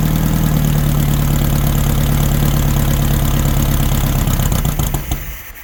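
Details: 1964 VW Baja Bug, formerly seized engine, sitting over a year, started on old gas: busy, rattly air-cooled idle with steady hum and even firing, no hard knock, cutting off near the end; running fine.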